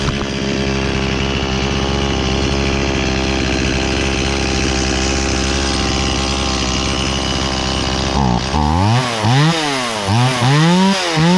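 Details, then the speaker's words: Stihl 018C 32cc chainsaw, sat unused for a year, restarted on choke: steady busy two-stroke buzz, then four or five sharp throttle blips with revs climbing and falling cleanly; starts and runs normally. "There we go. Now that's more like it."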